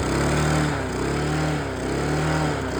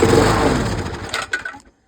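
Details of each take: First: Mountfield LS45 mower with Briggs & Stratton engine rescued from the dump, old carburetor refitted and primed: catches and runs with a steady, even chuff for a few seconds before cutting out; starts and runs fine. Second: Dump-rescued Mountfield LS45 mower with Briggs & Stratton engine, good spark, started on a squirt of primer fuel: catches and chugs unevenly under two seconds then sputters out; runs only when primed, replacement carburettor planned.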